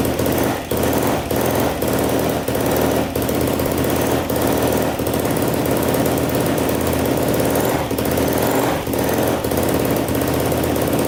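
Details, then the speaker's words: 2007 Yamaha YFZ450 quad, sat for a while, first start on choke after reassembly: fast harsh tapping over the single's running note, loud at the top end; timing chain suspected over valves, though the chain checked tight. "i hear a little bit of tap and noise i don't know if it's the valves or the timing chain i kind of suspect the timing chain"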